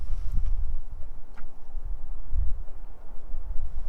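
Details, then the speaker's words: 1992 Ford Mustang GT Foxbody convertible, engine running: dull low thumps in short bursts seconds apart as the door lock actuator locks and unlocks by itself; electrical gremlins suspected, mice in the door joked, not confirmed. "why is that thing doing that sounds like it's trying to lock and unlock itself maybe there's more mice in the damn [Music] door"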